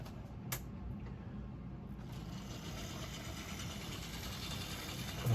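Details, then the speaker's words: Mainline Railways Royal Scot model locomotive, split-chassis motor, after reassembly to cure a squeal, pulling wagons; soft, even whirr with light gear chatter and no squeal, running smoothly under load. "there you go, no problem. That's so much better."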